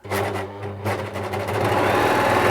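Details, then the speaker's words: Nearly new ex-demonstration Bernette 610D serger, unthreaded, running at full speed before cleaning and lubrication, as a baseline for an after-service comparison. Fast mechanical chatter winds up into a steady high-speed whirr with no harsh knock; it doesn't sound too bad, and the low-speed noise may be the motor. "That's full speed. This is full speed. No thread."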